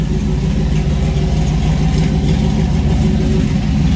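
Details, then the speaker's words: Chevrolet C10 truck with swapped stock 5.3 LS V8 and 6.0-litre cam, just completed: steady, even idle with smooth low rumble, mild cam lope, no knocks or misses; normal idle. "Sounds good. You know, it's stock 5.3. It's got a 6-liter cam, so you're not going to get a big cam sound out of it."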